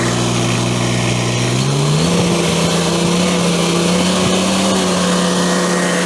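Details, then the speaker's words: Ventrac 4500Y, 25 HP Kubota diesel, after freeing dirt-blocked parking brake switch: runs, lifts in speed around two seconds, then settles to steady even note, no misses; normal start and running. "Okay, so that all runs really good."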